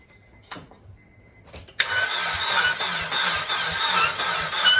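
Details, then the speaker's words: Acura RSX Type-S K20A2 engine, car not in gear: starter cranks at a steady chug with a sharp squeak on each turn and no catch; owner suspects the oil pump, cause unconfirmed, engine judged junk. "hear that yeah i don't like the way that sounds this shouldn't be squeaking it's not in gear"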